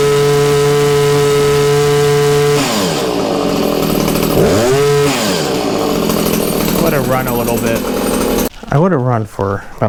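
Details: Stihl HS 81R hedge trimmer two-stroke after cleaning the plugged spark arrestor; steady buzzing idle, then clean quick revs up and back down, answering the throttle crisply, running freely and normal.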